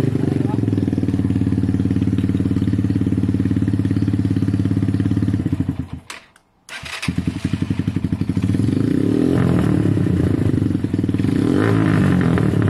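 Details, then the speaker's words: Single-cylinder bike with an oversized, very loud Black Widow exhaust not made for it, after carb replacement; putters, cuts out briefly, then picks up and revs cleanly with slightly uneven beat; runs very well. "that's the black widow exhaust way too big for the bike agreed way too big for the bike very loud but the bike ran very well"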